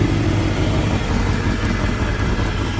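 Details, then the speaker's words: 1996 Mustang GT with 4.6 4V Cobra engine swap, started off a jump box: V8 idles lumpy and stumbling with occasional misses; owner suspects a jumping plug wire or fuel starvation, plans a fuel pressure check; rough idle. "You can hear it sounds like a plug wire here is jumping and then it acts like it's running out of fuel, which it could be."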